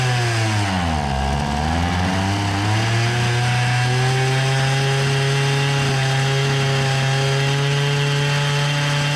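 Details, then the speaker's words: Hyundai brushcutter whose head spins slowly; the fuel pump draws fuel normally and the air filter is wet. Revs sag into a flat, strained drone that cannot reach full rpm. Caused by a scored piston and carbon blocking the exhaust port. "Vay vay vay motor devri düşük Bu sebeple devirdi çukurun Galata maçı yormuyor kafa o sebeple dönüyor gaz ayarı ile değil mi denemesi yaptık nin Maalesef ki Tam devre ulaşamıyor"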